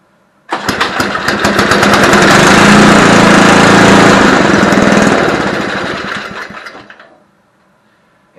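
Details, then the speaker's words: Barn-find Homelite Jacobsen Imperial SNO 524 two-stage snow blower with 5 hp Tecumseh engine, first pull start with choke on: catches and runs with a crisp, even beat for about six seconds, then winds down, likely out of fuel; starts and runs fine. "she runs yeah let's see if i can fire it up again here and keep her running this time"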